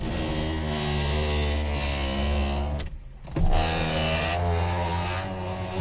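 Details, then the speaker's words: Ford Focus power window with a new, strange noise: low motor drone as the glass travels, rough and uneven, with a pause and knock at reversal; owner suspects something loose, probably in the lower rail, before door panel removal. "hoje a gente está aqui para filmar como fazer uma desmontagem de um forro de porta como você viu o meu vídeo aqui tá fazendo um barulho estranho"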